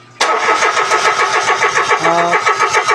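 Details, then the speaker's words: Mitsubishi Mirage that died while driving; scanner shows no ECU or electrical faults, fuel line disconnected during cranking shows no fuel (should be about 50–60 PSI): starter cranks in even pulses but never fires; no fuel pressure from failed fuel pump. "O, walang fuel. Dapat pag pina-start natin, dapat malakas yung pressure niyan. Okay? Nasa mga 50 to 60 PSI yan eh. So dapat sumirit na yan. So ngayon, walang sumirit."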